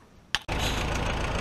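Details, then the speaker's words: 1964 Willys CJ5 Jeep with F-134 engine starting after fitting a remanufactured Delco 10SI three-wire alternator: click, short crank, fires straight into smooth even idle; charging about 13.5 volts. "all right smoke test seems to work all right as you can hear it's running fired right off nothing's on fire here making smoke"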